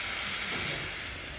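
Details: Steady, sharp hiss with almost no low end and no pitch change, picked up during leak detection with a device: pressurized water escaping from a leaking pipe.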